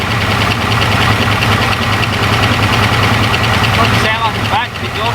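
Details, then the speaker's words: Jaguar XJ6 Series 1 with a 308 Holden 5-litre V8 and Turbo 350, first start in 10 years on sprayed fuel: fast light tapping over a rough loud idle; lifters expected to quieten once oil pressure builds (suspected, not confirmed). "if we let that sit for a second now they might yeah the oil pressure should bring them up how good is that guys"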